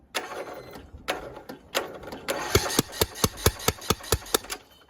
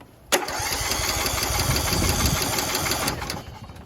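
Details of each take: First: Craftsman YS4500 riding mower with a Kohler Courage engine, cranked on a jumper pack: sharp, even puffs about four a second with a hollow chuff blowing back out the intake, and fuel is seen there. Compression is leaking past loose cylinder head bolts. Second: Craftsman YS4500 riding mower with a Kohler Courage engine, cranked on a jumper pack before full proper tightening: even, brisk, steady cranking with no puffing or hissing at the intake. Normal cranking; it then unexpectedly kicked over.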